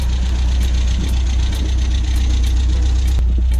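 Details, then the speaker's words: 1974 MG MGB with SU HIF4 carburettors after replacing a wrong float needle: deep, steady low rumble with an even beat, no stumbling or choking; engine running and idling smoothly again. "but she is officially alive again looking good running good idling good"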